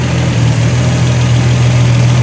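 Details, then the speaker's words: 1976 Triumph TR6 idling: smooth even low hum, steady beat, no misses, knocks or hiss; quiet healthy idle. Fuel leaking at the o-rings, so run only briefly. "oh yeah this car actually runs pretty well as you can tell very quiet"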